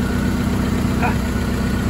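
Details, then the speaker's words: VW Polo 6N2 at idle, heard from below the engine: low, even burble with no puffing, ticking or hissing; no leak at the flex pipe despite it being almost fully detached; normal idle. "nothing there no LS in this Flex pip in spite of being almost fully detached from where it should be can I go a little bit farther oh nothing that I can see from here"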